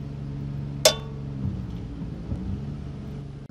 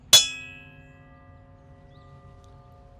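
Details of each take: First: Diamond blade ring test on the saw: one sharp tap dies off at once with no lingering ring, over a low engine hum. The dull tone indicates a bad, damaged blade, in contrast to a good blade's ring. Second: Ring test of a diamond blade just mounted on a cutoff machine (pipe saw), after checking it for cracks: one sharp tap, then a clear, steady ring fading slowly over a second or more. The blade sounds normal and uncracked.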